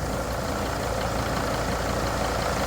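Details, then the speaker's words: 2004 Freightliner Sprinter 2500 diesel idling after a cold start, with Bosch injector issues; the No. 4 injector is not leaking. Smooth low rumble with no timing-chain clatter, hesitation or misfire. Normal diesel idle. "Um, there's no hesitation or bad idle or anything like that. It's running very well."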